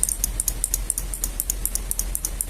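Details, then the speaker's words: Isuzu Elf Giga NMR 71 turn-signal flasher under repair and modification: sharp, even relay clicks at about six per second. With the new wire fitted, the flasher now cycles faster than before. "nah ini dari bunyinya sudahah semakin cepat"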